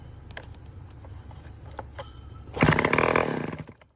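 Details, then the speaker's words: Late-1950s/early-1960s Homelite 7-19 two-stroke chainsaw with 60–70 psi compression, oil sprayed in, on choke: quiet cranking, then about one second of ragged firing that dies. Fuel starvation: no gas reaching the carburetor, and the fuel shut-off valve position is uncertain. "All right, we got her to fire off there just a little bit. I ain't getting no gas to the carburetor, so we're going to try to get a little bit of gas going in the carburetor."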